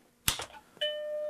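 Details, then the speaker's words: Macintosh Plus with the logic board connected after analog-board solder joints were redone: a click, then a clean sustained startup bong through the test speaker; motherboard is fine, though video is still missing. "Yep, sure enough, right away, bong."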